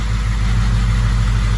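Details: Ford 6.0 Powerstroke diesel (07.60 build) after unplugging a shorted ICP sensor fixed a no-start: deep, even idle with a steady low rumble and no knocks or misses; normal idle.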